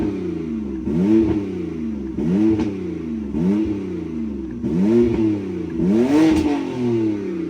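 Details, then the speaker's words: BMW E90 328i base model after Vanos solenoid cleaning (Vanos code had lit the check engine light), scanned with no issues, no leaks: five or six crisp blips rise and fall cleanly, each settling to a steady idle; engine sounds healthy and even. "I can't blip the throttle because it's electric throttle, but checks out all right for me. No leaky."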